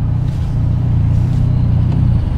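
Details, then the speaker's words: Mitsubishi Evo X after AMS fuel rail install: low, uneven idle that sags and wavers, nearly stalling; missing intake shield let AC air blow into the intake, upsetting the MAF sensor and causing rough idle. "so it goes up high a little bit and then start flickering and then stall out it's not stalling right now but it was installed before so hopefully we get that taken care of today"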